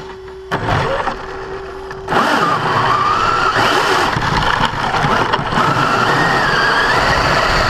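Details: Brand-new Basher Nitro Circus 4x4 1/10 RC truck on a 3S 4000mAh battery: a rising motor whine with rough grating that comes in on acceleration. It is absent in reverse and off the ground. Drivetrain gear grinding persists despite adjusting the gear mesh.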